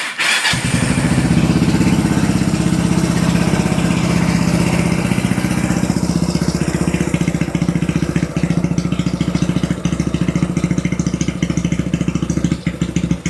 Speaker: Ya, tadi teman-teman sudah mendengarkan ya, ketika pertama sekali motor ini dinyalakan, itu RPM-nya tuh terdengar tinggi, brrrr gitu ya. Lalu setelah beberapa detik, dia baru mulai turun dan mulai stabil di RPM yang idle, ya artinya di posisi langsam.